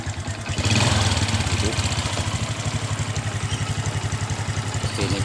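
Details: Honda Supra X 125 motorcycle after its regulator was replaced with a Smash regulator: steady single-cylinder idle, even low thumping about four pulses a second with no misses, lights bright; normal idle.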